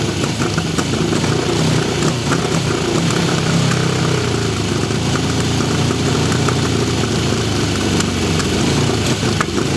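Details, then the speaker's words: 1974 Honda CB750 Four, test run: steady even four-cylinder idle with a couple of smooth blips, no ticking, knocks, piston slap or valve train noise; engine sounds healthy. "Motor sounds good with no ticking, no knocks. Can't hear any piston slap, any valve train noise. It sounds pretty good."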